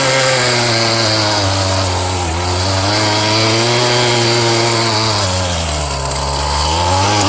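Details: Scrap-yard two-stroke cultivator (weed-trimmer-type engine) that someone had run on straight gas, lowering compression: runs on choke at a buzzy, steady fast idle with only slight wavering, no misses; surprisingly runs properly.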